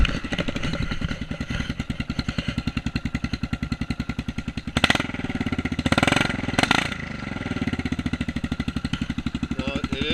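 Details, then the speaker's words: 2008 Kawasaki KLR650 single-cylinder with an aftermarket CZR muffler and pipe fitted via an adaptor. A loud, even thump picks up cleanly on throttle blips, like a dirt bike, beefier than the stock exhaust. Normal running. "Sounds like a dirt bike. Definitely a little more beefier sounding than a stock exhaust on a KLR650."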